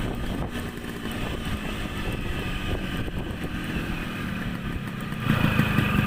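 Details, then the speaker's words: Yamaha RX100 two-stroke motorcycle on a 2–3 km test ride after reassembly and loose gear linkage fix; pulls steadily under road and wind noise, rising as throttle opens, acceleration fine, no problems. "ก็โอเคนะครับลองจากการที่ได้ลองขี่ดูนะครับระยะทางเข้าน่าจะอยู่ประมาณ2-3กิโลนะครับก็ถือว่าไม่มีปัญหาอะไรนะครับ"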